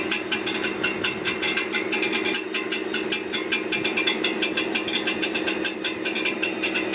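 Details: Brand-new 2023 Ford F150 with 400 miles at idle: sharp metallic ticking, clanking and rattling about five times a second from near the transmission; cause unknown.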